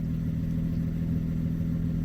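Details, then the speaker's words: 2007 Ford Edge SEL AWD 3.5L V6 after the cylinder 6 fuel injector was replaced (open/short circuit code, rough idle). Low, even idle rumble with no misses, stumbles or ticking; check engine light still on but no longer flashing, before the codes were cleared. "sing of the injector, so I know it's working. It definitely sounds like it's running smooth as well."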